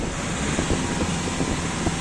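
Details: Volkswagen Vento, scanned earlier for a cylinder 1 misfire and checked for pickup issues, now started and idling: even, steady idle with no stumble or skipped beats under wind hiss; running smoothly on all cylinders.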